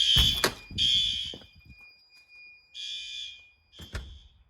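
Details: May fire alarm test after activating a heat detector; outside horn strobe checked. Loud pulsed horn bursts around three kilohertz in short blasts with gaps; sounding strong and working properly.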